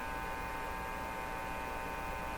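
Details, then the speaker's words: Marconi Model 295 two-band AM/shortwave tube receiver chassis, tubes lit: only steady mains hum with fixed buzzy tones and no audio when touching the front end; owner suspects front-end problems. "So I'm touching things that should cause something to happen in the speaker. Nothing at all is happening."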